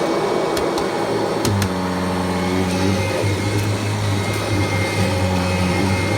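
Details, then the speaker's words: 1994 Kirby Generation 4 80th Anniversary Edition upright vacuum, first run after about one to two years unused: clicks at switch-on, then steady even motor hum, no grinding; not locked up, runs fine, belt may need replacing. "Might need to replace the belt. Other than that, it feels good. Not locked up, nothing."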